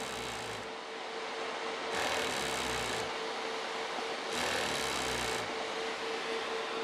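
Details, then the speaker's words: TIG welding water cooler with diaphragm pump and accumulator bottle: steady pump buzz with a rougher surge switching on and off every second or so as it cycles on pressure. "the only thing I don't like about using this style of pump is that the pressure it has to cycle you know what let's turn that thing off"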